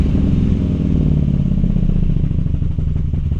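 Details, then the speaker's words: 1929 Studebaker street rod after idle speed adjustment, ignition timing not yet set: deep, steady rumble idling smoothly at about 1,000 rpm, no hunting or misfire. "idling around, let's see, it's idling around 1,000 right now. That's actually pretty good."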